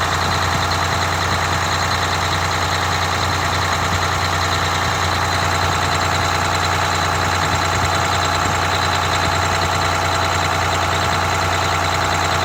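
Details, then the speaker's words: Detroit Diesel 6V92TA two-stroke in a rebuilt Wanderlodge RV bus after idle adjustment: low, steady idle with usual fast rattle, no hunting or misses, set near 600 rpm (about 597 measured) versus 500 rpm minimum; normal idle. "the minimum idle speed recommended is 500 RPM on these and I like to set them closer to 600"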